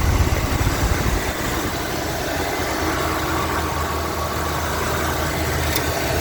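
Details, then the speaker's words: Lincoln Continental Mark-series (Mark V/VI) V8 at idle: slightly rough first second, then smooth, even low burble; nothing abnormal, sounds solid and healthy, normal idle. "It sounds good, there's no... No It sounds good, no chicken or anything."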